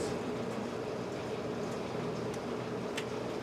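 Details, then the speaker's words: 1997 Bentley Turbo R idling after oil change to quiet lifters: faint steady mid-pitched whine over smooth idle, suspected bearing noise from AC compressor or air pump, source not confirmed. "a bearing noise coming from either the AC compressor or uh the air pump or something like that because that's annoying but there you go"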